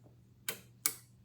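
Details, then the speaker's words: PCB relay bench test on the normally open contacts: two crisp clicks a fraction of a second apart as the coil is energized and released; the relay pulls in and releases cleanly, working fine. "okay so what does it mean normally open is is open if you don't energize as soon as you energized it closes"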